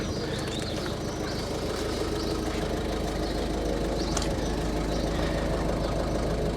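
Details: 2011 Ford Focus 1.6 TDCi diesel with suspected injector problem, warm after idling ten minutes: steady, even diesel clatter with no stumble; normal smooth idle, though it later starts to chug with a slight misfire.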